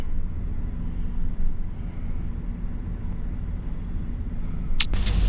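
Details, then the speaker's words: Irrigation pivot booster pump motor running to put 1 inch on peanuts: constant low rumble under hissing spray, no surging or grinding; end gun throwing about 120 feet, normal running. "I can hear the motor running, and it's throwing about 120 feet, so we are good."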